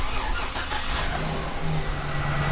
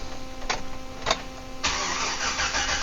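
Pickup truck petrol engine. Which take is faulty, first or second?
second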